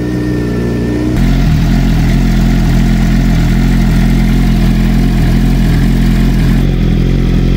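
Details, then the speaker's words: 2007 Suzuki GSX-R 600 K7 after full service (fresh 10W-30 oil, coolant, new water pump for hot oil leak); oil pressure light off, warming up; steady smooth idle, no knocks or ticks; normal idle. "so that means the oil pressure is good so we just need to let it get up to full temperature now"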